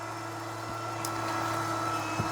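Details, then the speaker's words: Litter-Robot 3 self-cleaning litter box during its cleaning cycle as the drum turns back: steady low motor hum with a fixed whirring tone and occasional light knocks; normal but quite noisy operation. "Also, you will notice that it's is making quite a noise. That's one of the cons to it. It is quite noisy."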